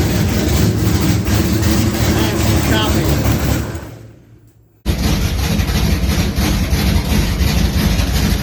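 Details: 1980 Trans Am V8 with new Tick Performance nitrous cam and ported intake, run briefly without coolant: deep, loud lumpy idle with an uneven choppy lope and heavy exhaust rumble; healthy and strong.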